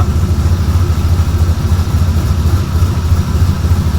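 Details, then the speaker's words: Outlaw buggy idling after fabrication, first start with full exhaust and new headers installed, all gaskets on and tight, one rear hanger still missing: deep, loud, even burble pulsing about three times a second, no misses or rattles. Sounds mean but tolerable; healthy idle. "Sounds mean, but it is tolerable. It's actually a really good sound."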